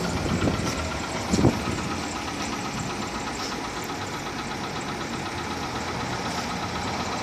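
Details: Volkswagen Polo 6R engine at 46,000 km: uneven knocking about once a second over a busy idle, with sharper raps. Piston knock, fixed by replacing the pistons, rings and cylinders.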